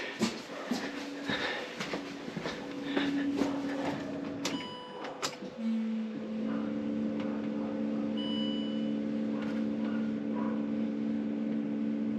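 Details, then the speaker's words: Land Rover Discovery 3 2.7 TDV6 diesel after fuel filter replacement, ignition on without starting: steady electric hum with a faint whine for several seconds after clicks; fuel pump priming normally. "<b>So I can definitely hear it moving some.</b>"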